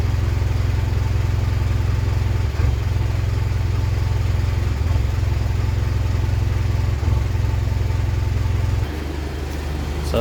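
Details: 2010 Mitsubishi Pajero NT with random misfire at idle and driving, unresolved by carbon cleaning, plus a flat spot from standstill: steady idle with an uneven low thump that now and then stumbles; cause unknown.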